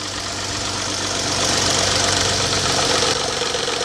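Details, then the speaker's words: Petrol engine idling cold first thing in the morning with light, fairly even tapping about four a second that suddenly stops; attributed to a bad cam phaser spring mechanism, not valvetrain ticking. "Typically, you get that noise first thing in the morning. Cold, it'll just start tapping."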